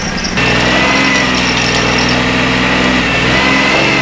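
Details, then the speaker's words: 2006 Ford Taurus after salvage-yard engine swap, old fuel in tank: engine revs ragged and uneven, not firing on all cylinders; misfire from stuck-closed fuel injectors, suspected among the back three, found by cylinder drop test. "not hitting on all the cylinders there buddy definitely not"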